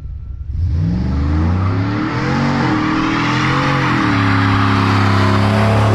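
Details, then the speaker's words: Lowered NBS GMC Sierra V8 with new Speed Engineering 3-inch single catback exhaust, wide open throttle outside in front of the house: deep roar up from idle to a loud steady rumble, no rattle or drone; exhaust sounds healthy. "I'm gonna do some wide open throttle in front of the house so you guys can kind of hear what it sounds like that way"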